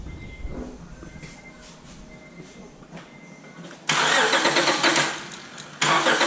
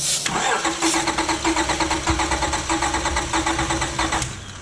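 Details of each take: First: 2005 Acura TL 3.2L V6 after a shop replaced the broken timing belt and water pump: cranks, catches and settles into a lumpy idle with a steady stumble, a dead miss on cylinder 4. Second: 2005 Acura TL 3.2L V6 after a shop timing belt and water pump job, with a cylinder 4 misfire: cranks without firing during a compression test, even firm pulses, about 200 psi on cylinder two.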